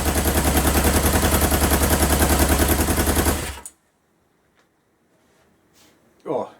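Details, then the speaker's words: 1977 Kawasaki KZ650 B1 with unsynced carburetors: a lumpy, uneven idle with a hollow gap in each cycle. It sounds like one cylinder is not firing, as one exhaust pipe stays cold while the other is warm. "hopefully get these carbs synced but it sounds like a cylinder isn't firing yes this this pipe is warm this pipe is cold"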